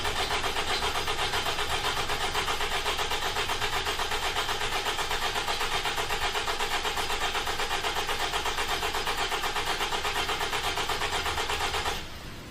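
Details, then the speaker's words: 2009 Toyota RAV4 2.5 cranking, labscope with starter amp clamp and intake vacuum: steady cranking about four beats a second with uneven pulse; intake pressure rise matches one cylinder, confirmed intake valve leak. "the intake pressure rises at the exact same time that's confirmed intake valve leak"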